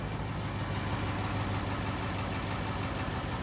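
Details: 2011 Dodge Ram 5.7L Hemi after replacing both exhaust manifold gaskets and removing a broken driver-side manifold bolt: faint quick tick over an even idle; ticking almost gone, owner unsure if it is fully gone.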